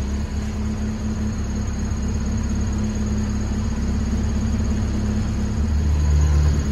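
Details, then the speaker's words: Honda Civic, warm, after removing the PCV valve and adjusting the throttle body idle screw: smooth even idle, steady at 1000 rpm with the sensor plugged in, no surging; the cooling fan whirs on near the end. "so the idol's not done it's not going down it's steady at a thousand after i plug that thing in"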